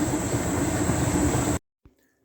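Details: Hotpoint NTM1192SKUK condenser tumble dryer after replacing its faulty water pump, which made a horrific noise when pumping out water: steady, even rumble and faint hiss, then a clean stop; back to normal.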